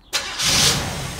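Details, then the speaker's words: Freshly rebuilt small-block Chevy 350 bored .030 over (355), 10:1 compression, in break-in, valves just adjusted, not fully warm, heard from front: catches with quick roar, settles into steady even rumble, no ticking; normal running. "I'll turn it on so everybody can see you there you go and you will hear it it's kind of not fully warm yet so they'll have a nice look to it"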